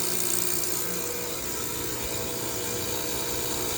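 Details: Heat pump reversing valve with the disconnect pulled and no 240 V supply, buzzing loudly and steadily like a running compressor.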